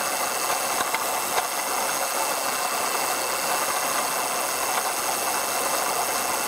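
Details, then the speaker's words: 2004 Ford Taurus; new harsh ratcheting chatter over the running engine that speeds up as revs rise, unchanged with the air conditioning on and the A/C still cooling; source not pinned down. "yeah this noise is still going but it's basically um going faster along with it uh the engine accelerating"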